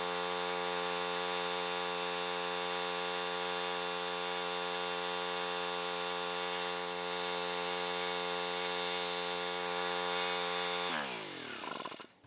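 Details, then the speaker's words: Homelite 1800 W portable generator, Subaru engine, revived after sitting about 12 years, running with a lamp load and frequency meter: steady even drone, a touch flat and slow, then winds down; engine speed low, confirmed by meter. "The speed of the motor, you can kind of hear it by ear after a while. It sounded like it was running a little bit slow, and the meter proved it."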